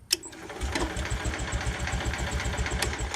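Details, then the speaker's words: Craigslist Onan 4 kW generator for an MCI MC9 bus conversion, cranking after a fuse was added to restore spark, no fuel connected; steady starter cranking with uneven chuffs about four a second and a few weak pops; has spark, no fuel. "I put that in there and you'd see without any fuel learning let's just"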